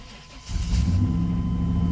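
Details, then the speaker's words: Chevrolet 5.7L Vortec V8 with about 230,290 miles and a rebuilt engine, not started for a few days; brief crank, then it catches at once and settles into a steady, even rumble; healthy cold start. "like a champ you can always rely on your Chevy's with the 5.7 liter Vortech v8 probably the most reliable of the vortex"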